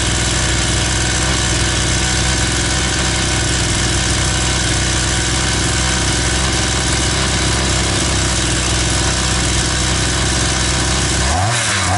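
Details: Oil-soaked brush cutter (trimmer) in for poor starting and popping, suspected crank seals; carburetor untouched, started on choke without air filter: loud, steady two-stroke buzz at even pitch, no popping or cutting out, runs cleanly, normal running.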